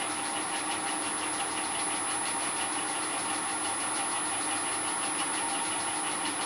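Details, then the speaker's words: Shaper-cut 20 DP 30° helical gears, one bronze and one steel, meshed on mill spindles while closing their spacing: a steady gritty grinding with a fast flutter over the spindle hum. The centre distance is too tight and must be backed off. "gears closer and closer together until they start to grind then I'll back off until they run as quietly as they're going to"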